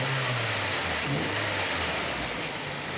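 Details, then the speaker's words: Nissan Silvia S15 after a belt replacement (a used AC belt swapped in): engine fired up and throttle kicked, revving and settling with no chirp or squeal, so the belt grips without slipping or squeaking. "So anytime you do the belts on a car, you always want to fire it up, make sure it doesn't squeak, and then just kick the throttle a couple"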